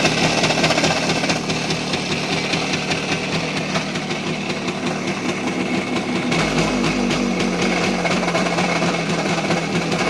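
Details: Voskhod 3M two-stroke: a rough idle with a dull, uneven bottom-end knock two or three times a second, also loud at high revs in 3rd-4th. It started after accelerating in 4th and closing the throttle. Piston looks clean, rings new, compression and timing fine; owner suspects crankshaft.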